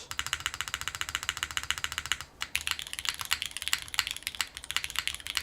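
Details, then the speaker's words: Syrin TKL mechanical keyboard with a gasket-on-leaf-spring FR4 mount, very soft: even, muted keystrokes at brisk pace with no rattle or ping; a pleasant, well-damped sound profile. "I really like the sound profile of this. Damn. It's weird. This sounds good."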